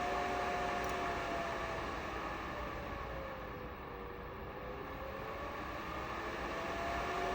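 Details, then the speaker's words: Razer Laptop Cooling Pad on performance mode with a 2022 Razer Blade 15 Advanced, Intel 12800, RTX 3070 Ti, under program load: a steady airy fan rush with a faint high whine that eases and climbs back. Loud but even, normal fan noise. "And that's about what you can expect as far as the the noise goes. It's not quiet. Um it it's definitely noticeable."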